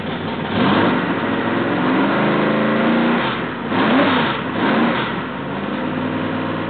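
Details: Rebuilt L88 427 Chevy big-block, hydraulic roller cam, 9.6:1 aluminum heads for 91-octane pump gas, timing set at 36°: deep, even idle with a couple of clean blips rising and falling smoothly, no knocks or misfires; healthy, like an original L88.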